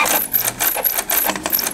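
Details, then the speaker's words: Canon Pixma G3110 inkjet printer during printing: rapid bright metallic clacks, four or five a second, as the carriage strikes where the paper-exit gears are. "Ela tá batendo nesse trilho aqui, ó. Nesse trilho não. É, é onde tem as engrenaginhas assim para pro sulfite sair."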